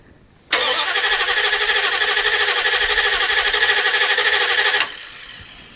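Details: 1989 Dodge D200 freshly rebuilt engine after new camshaft bearings, first start attempt with pedal pumping: about four seconds of steady cranking at roughly three beats a second, stops without firing.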